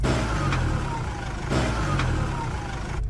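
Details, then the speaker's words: Toyota Hilux after service, 4x4 disengaged at lever then reversing about 20 m until light goes out: low engine drone with a few dull driveline clunks as four-wheel drive releases; normal disengagement. "pronto Desligou o sistema 4 por4 agora você pode ir embora"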